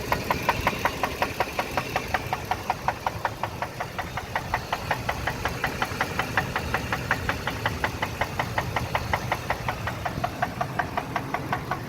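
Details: Ford F-150 5.4 V8 running with a sharp, steady rod knock, under three a second, caused by running the engine low on oil.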